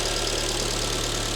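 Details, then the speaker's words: Alfa Romeo MiTo QV 1.4 TB petrol, first start after timing belt and oil change, engine cover removed: even idle with fast light injector ticking, louder without the cover; runs normally. "It's running now and running normally. The injectors are rattling. Now it's missing that engine cover, so that sound is a"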